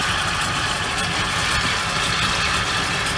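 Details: 1975 Ford Ranchero after the starter relay and starter motor were replaced: starts easily and holds a steady, even idle with no knocks, misses or hunting; idle could be a little higher. Running smoothly.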